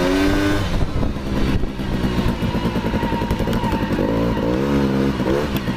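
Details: Honda Cub EZ90 two-stroke, a museum bike on display for years and barely ridden, now on a substitute battery, started right up. On a test ride the crisp buzz climbs and falls cleanly with the throttle, with no misses or rattles, and it pulls strong. Normal running.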